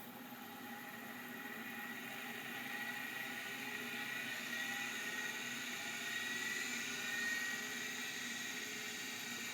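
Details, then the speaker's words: Seagate ST137R vintage hard drive on power-up: thin whine climbing as platters spin up with light seek chatter, seeming to seek before fully spun up; likely passed seek test, drive sounds working. "here's the real st137 r that sound of like it started seeking before it was done spinning up but uh that might have passed it seek test that might just work"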